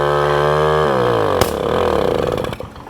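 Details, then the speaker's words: 1980 Garelli Super Sport pedal-start two-stroke moped: fast steady buzz well above normal idle, then sags and stumbles winding down; idle set too high, exhaust recently decarbonized. "got dual brakes see it is ramping up a little it is idling up a little too high so I'll check on that it sounds like I should be cruising but I'm not"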